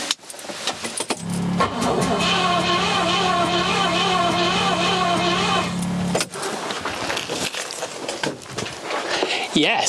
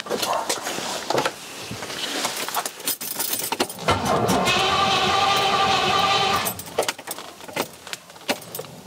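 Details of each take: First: Rover P6 with 4.6 V8 that would not start, cranking on the starter during compression test: about four seconds of even, regular turnover beat; compression now reaches 70 psi. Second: Rover P6 with 4.6 V8 on carburetors, original coil refitted: cranks, catches a few weak puffs for a couple of seconds, then dies; fuel smell while cranking; owner suspects ignition timing.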